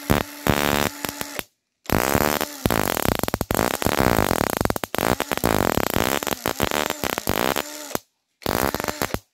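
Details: Toyota Corolla 2E crank-no-start, distributor removed and bench-tested with pickup coil triggered: bursts of sharp rapid snapping spark, strong on every try; distributor firing fine, pickup coil to be cleaned and sealed.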